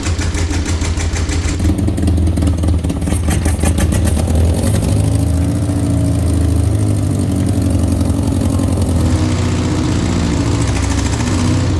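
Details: 1964 Peugeot 404, previously seized engine fully rebuilt with pistons freed, first start after reinstall: steady even low idle with no knocks or misses; runs smoothly and healthy.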